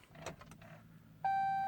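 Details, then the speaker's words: 2015 Chrysler 200S with brake pressed and start button pushed, key fob battery already replaced, repeat problem: a few faint clicks then a single steady beep, no starter crank; no-crank, beep only on start. "no start nothing I don't know 2015 Chrysler 200s"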